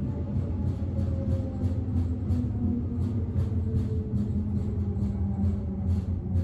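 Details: Berlin S-Bahn BR485 railcar 485 112-7, built 1991, onboard ride Schönfließ–Hohen Neuendorf on S8: regular thumps about three times a second over low rolling rumble, keeping wheel pace; severe wheel flat spot, rattling more than usual.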